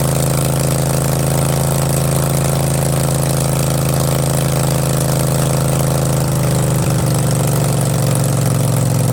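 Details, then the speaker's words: Craftsman garden tractor, 20.5 HP Kohler Command V-twin, freshly fabricated exhaust elbow and straight pipe, half choke: deep, loud, even idle with a steady low throb and no misses or knocks. Normal, healthy idle. "man oh man does that sound mean or what that sounds mean that's cool i'm gonna keep it like that that's cool"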